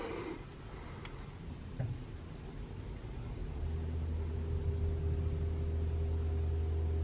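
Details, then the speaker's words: 2021 Toyota RAV4 Prime SE in EV mode, 49°F outside, heater on Auto high, AC off, testing for intermittent loud heat pump startup noise: after quiet seconds a steady low hum with faint higher tone, no loud noise; normal. "I can hear the humming of the heat pump but it didn't make the loud noise"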